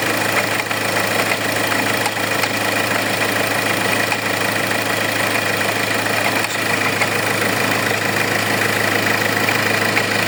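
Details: Hyundai engine at steady idle with a light, uneven ticking rattle about twice a second over the hum, from a faulty alternator pulley.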